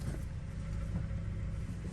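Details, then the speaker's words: Power steering check with engine idling at about 26 degrees outside, reservoir cap off to let air escape, wheel turned lock to lock about four times each side: low even rumble, no whine or squeal; normal power steering operation. "Actually sounds pretty good. Usually you hear that."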